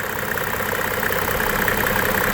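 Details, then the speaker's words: 1995 Mercedes E300 diesel W124 inline-six, over a quarter million miles, stays under the 80s in traffic: steady, even diesel clatter at idle with no rattle or timing chain slap; chain checked tight, no blow-by; healthy engine. "just listen to that no rattle no timing chain slap"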